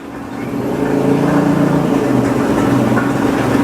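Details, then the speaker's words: Satelit 3-inch water pump fitted with automatic pressure control, still pushing water before the source runs dry: steady, even low hum with no knocking or rattling; pump running smoothly, not yet noisy dry running. "Cukup halus suara pompa airnya."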